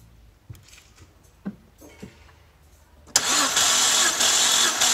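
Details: BMW N52 inline-six during compression test with spark plugs out: faint clicks, then starter spins engine at steady, even pace with no dragging or uneven beats; normal cranking, cylinders around 160–180 psi, cylinder six lowest.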